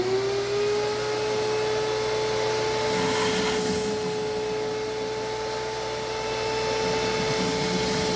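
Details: Small shop vac sucking oil at a 12 Valve Cummins diesel's oil pan drain plug, pan full of fresh Amsoil, while the leaking plug's rubber-coated washer is flipped: steady mid-pitched motor whine with soft slurping underneath; normal suction.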